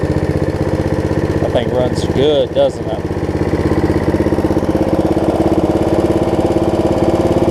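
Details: Snapper rear-engine rider after carb cleaning, new deck belt and throttle cable repair; small single-cylinder settles into a steady, even putter with no misses or surging at idle and full throttle; running excellent.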